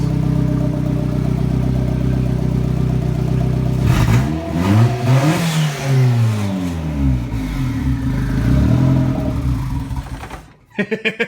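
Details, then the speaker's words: Turbo-build car: engine runs, surges unevenly and dies about ten seconds in; cause found as a loose, untightened intake pipe connection completely off, giving a major air/vacuum leak that killed it every start. "So obviously what happened was major air leak, vacuum leak or whatever, and that was shutting down the motor every single time I tried to start it up."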